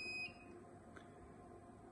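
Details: Manfredi Prisma Galileo machine switched on at the main switch: one short high beep, then a faint low hum as the main board initializes. Normal power-up.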